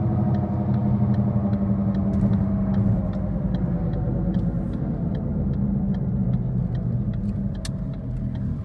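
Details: 2013 Ford Focus: constant low drone under cabin road noise, holding with road speed, recorded to diagnose loud cabin sound; turned out to be a bad left-front wheel bearing, replaced by the dealer.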